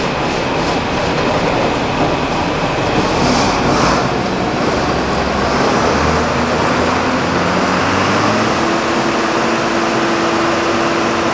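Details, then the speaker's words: Mixer run on PTO after the inside work was finished and it was spun by hand fine, checking for rubbing before primer: steady, even rumble with a faint hum, no rubbing, scraping or knocking; normal run. "we're all done with the inside now we're just going to run it quick make sure there's nothing rubbing which we've spun it by hand and it did fine"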